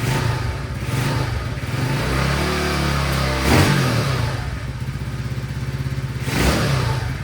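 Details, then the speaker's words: Second (green) CT70 clone, Nibbi carburetor re-jetted, idle mixture screw two turns open, cold start on choke with nearly dead battery: uneven putter with a couple of throttle blips showing some response; owner thinks it's a little rich. "I mean, it's cold, but it has a little bit of throttle response. I kind of like that. That means it's a little rich, but Let's let it warm up and see what it does."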